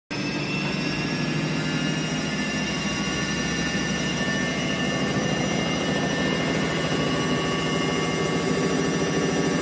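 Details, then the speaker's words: Haier HW60 washing machine drum knocking during spin, a loud steady roar with rough rapid knocking; the owner suspects the drum spider, and the drum bearings were replaced. "привет начал стучать барабан при отжиме я подозреваю что это крестовина"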